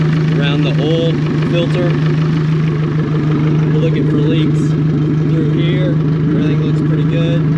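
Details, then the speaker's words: Yamaha VF150 four-stroke outboard idling after oil change, water on; steady low burble with even beat and water splashing; no leaks, running smoothly and healthy. "Everything looks good over here. Everything looks good up there. So we're just going to let it run for a few minutes."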